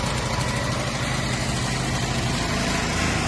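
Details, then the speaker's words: 3000 W petrol generator that sat a year with fuel in the tank, after draining stale fuel and cleaning clogged filters: engine runs at steady full speed with a smooth buzzy note, no surging or misfires, and now produces electricity. "There's it now on full speed, and our generator is generating electricity."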